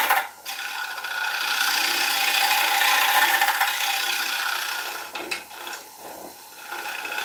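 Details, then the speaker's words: Wood lathe turning a bowl blank with tricky grain. Harsh rasping cut pulsing about four times a second, swelling and fading, as the workpiece wobbles against the tool. A knocking was also noticed earlier, and the bearings were checked. "Yeah, hear that sound? Something's going wrong. Something's wobbling."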